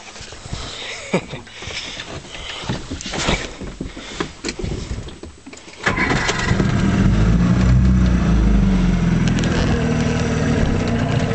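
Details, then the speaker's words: 1956 Johnson Javelin RJE-18 30HP electric-start two-stroke outboard with pressurized fuel tank, on 14ft Viking runabout, just started with choke: clattering then an even, steady drone with no misses; runs real nice. "runs real nice. So much nicer than the new ones, you know."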